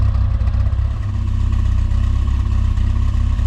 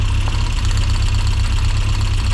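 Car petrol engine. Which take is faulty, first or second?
second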